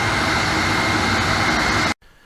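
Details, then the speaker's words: Boyar Schultz machine under refurbishment, powered via rotary phase converter: dust collector blower motor runs with a steady loud whooshing roar and even whir, no rattles or scraping; works fine. "well as you can hear the uh blower motor works just fine so that's good"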